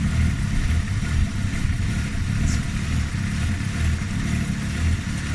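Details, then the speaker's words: Fox-body "Stitch" with single-barrel carburetor, idling while the bowl is checked after bogging on throttle; rough idle that swells and sags unevenly; surging idle, owner suspects a vacuum leak, vacuum lines to be traced. "That's indication of probably a vacuum leak, to be honest."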